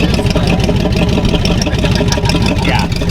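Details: 1974 Chevy Nova V8 at idle with glass packs, restored and painted: loud, blatting idle with rough, uneven lope and raw rasp; loud exhaust from missing mufflers and a leaking exhaust pipe joint, exhaust system to be redone.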